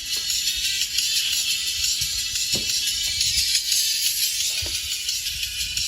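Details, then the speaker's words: Marshall Stanmore II speaker after rodent damage chewed the speaker wires and a voice coil: music plays thin and tinny, left and right tweeters work but midrange and subwoofer stay silent; midrange and subwoofer not playing. "ชื่อเสียงเสียงแหลมนะครับซ้ายขวาดังนะครับแต่เสียงกลางกับsuberไม่ดัง"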